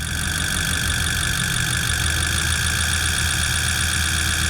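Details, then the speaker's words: Adventure Bus pushrod engine, lumpy idle with uneven choo-choo chuffing, about four pulses a second: cylinder 7 dead, misfiring because its valve is stuck open; fuel pressure 60 psi and injectors good. "And do you hear how it sounds like a choo-choo train? Yeah, that's because cylinder 7, it's not doing anything. It's misfiring."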